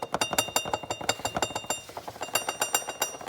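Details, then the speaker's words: Chevrolet Celta engine running at quiet idle: light, fast metallic ticking, about ten a second, from a loose timing belt cover touching the pulley below; cover should be replaced, risk of belt breakage. "Se o seu carro tá fazendo um barulho de de algum ferro balançando quando você tá com ele ligado, é, pode ser esse problema aqui, ó. A capa da correia, ó."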